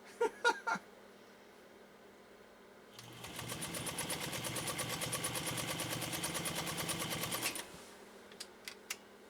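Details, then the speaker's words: Repaired heirloom Pfaff 230 sewing machine sewing two layers of 8–10 oz genuine cowhide: quick even needle clatter at steady pace, starting and stopping cleanly, no binding or knocking; runs smooth as silk, normal. "I don't know what you can hear but I hear a machine running just as smooth as silk as smooth as silk"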